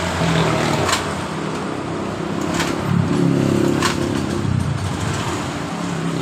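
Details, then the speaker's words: 2015 Honda Beat Pop that stalled after a few metres and felt weak, started after replacing the rotor with fuel pressure at 42 psi: catches straight away and settles into a steady even idle with no misses. "engkol jadi motor langsung hidup seperti ini setelah kita mengganti di bagian rotaknya"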